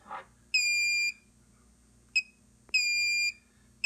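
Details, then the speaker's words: Xantrex pure sine wave inverter on a 6-module Nissan Leaf battery pack, bench supply raised past 31.6 V alarm to 33 V shutdown then back to 27 V: loud repeating half-second beeps with chirps; latched high-voltage fault alarm. "So we have a fault, now we're back at 27 volts, so we're good, but the inverter said, hey, there was a problem, I'm gonna shut down."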